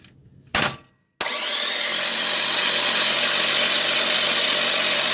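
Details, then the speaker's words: LS 5.3 cranked on the starter while priming, with 40 PSI oil pressure: it spins fast into a steady high whirr, turning evenly with no clunks or knocks. Healthy cranking. "I didn't hear any kind of clunking on the engine part. So we good. All I hear is the starter spinning and it's clearing everything in there."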